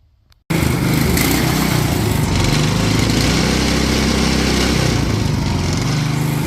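Small single-cylinder buzzes up to a steady, even full-throttle drone with no misses, knocks or hunting; engine sounds healthy.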